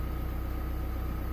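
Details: 2017 Chevrolet Colorado ZR2 2.8 L Duramax diesel just after fuel filter change and fuel system priming: steady even low clatter at idle, no misses, knocks or surges; normal healthy diesel idle.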